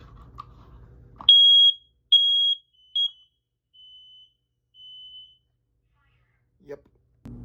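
Three loud shrill beeps at a steady high pitch, then softer fading chirps as the button is let go; the alarm sounds properly.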